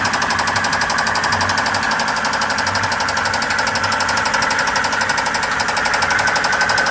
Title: Blown 5.0 Volvo marine Rod knock